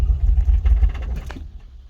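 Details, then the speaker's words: 1988 Toyota pickup after a Walbro 255 in-tank fuel pump install for suspected fuel starvation: catches with a rough, lumpy beat, then fades and dies within about two seconds. The new pump is ruled out; owner wonders about air in the line; cause unknown. "See, it fires right up, no problem, and it'll run for two seconds now, and then it'll die."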